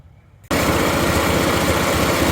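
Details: 1983 Mazda B2000 pickup after a tune-up (cap, rotor, NGK plugs, wires, carburetor adjustment) and exhaust leak repair: the small four-cylinder fires up and settles into an even, steady idle with no miss or ticking.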